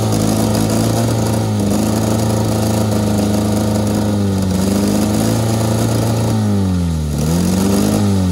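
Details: Honda Civic with tire foam in place of engine oil, running on ether; loud labouring engine with wavering pitch that sags and recovers, chugging rough; owner wants it to seize.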